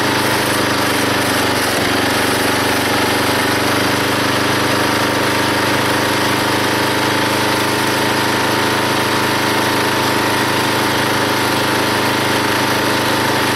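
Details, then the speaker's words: Log splitter small engine after fitting a homemade spring-loaded idler arm and pulley to tension the drive belt: steady even drone, loads up splitting a log, hardly any belt or pulley slip. "now when it runs you can definitely hear the engine take the pressure of splitting that log and there's hardly any slipping on the pulley or on the Belt now"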